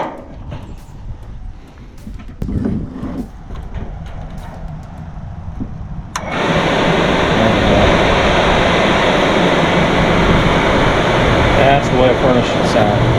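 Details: Suburban furnace after blower motor replacement, thermostat bypassed by twisting wires, high-limit switch in circuit: quiet clicks, blower starts about six seconds in, steady even rush without rubbing; normal furnace fan operation.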